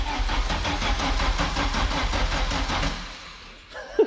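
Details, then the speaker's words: Audi S2 sitting nearly 5 years (broken gearbox, corrosion), battery at only 11 volts: starter turns sluggishly about five beats a second and fades without firing; booster needed. Slow cranking from low battery voltage. "Ouais, oui. En fait, il n'y a que 11 volts. Hein. Il faut du jus, hein."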